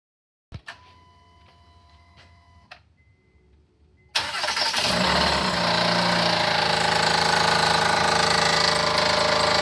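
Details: Honda Pilot 3.5L V6 idling with steady metallic top-end tapping, not valves: dangerously loose timing belt slapping due to a bad tensioner.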